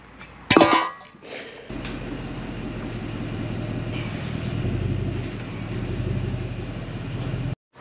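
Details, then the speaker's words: 2004 Toyota Land Cruiser with its rusted-through muffler and exhaust removed, running on the downpipe only: a sharp blip, then a deep, loud unmuffled rumble that swells and eases with the throttle. "It has a downpipe. That's about it. That's raw. That sounds good."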